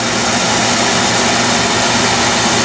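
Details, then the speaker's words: Early 1960s Bell and Howell 16mm tube projector, warmed up, running forward: steady even whirring rush, no clicks, knocks or grinding; cracked worm gear holding together, owner plans J-B Weld reinforcement; running smoothly. "just turn it on forward and worm gear is holding together I'm thinking that maybe I could just reinforce it with j-b well then just try to help keep it from people can cracking anymore"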